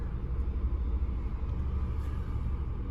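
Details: 2013 Ford Escape petrol idling with check engine light and P0304 cylinder 4 misfire shown in live data: deep slightly uneven rumble; coils, plugs and compression still to be checked.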